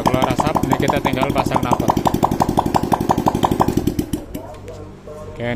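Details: Honda Supra X 125 (KPH) after repair for white smoke, running without exhaust: crisp evenly spaced pops about three per second from open port, steady until switched off; runs cleanly, no smoke.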